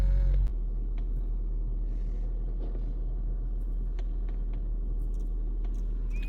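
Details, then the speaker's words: Honda Vezel 2014 hybrid, previously code P0303 misfire, after clearing codes and an injector check that found one faulty (replacing all four advised): steady even low idle rumble, no stumbles, scan shows no codes; normal idle. "माशा्लाह engine normal कोई code नहीं तोशन okay है इस time कोई इसका error माशा्लाह नहीं आ रहा"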